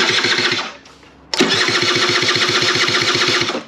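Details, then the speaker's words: SR50 two-stroke scooter, jumper battery, 7.5 fuse removed: starter spins quickly and evenly, about four pulses a second, but never catches; cranks, no start, cause unknown. "so i'm gonna put a jumper battery on this and crank it over without that 7.5 it feels like it's spinning over just fine"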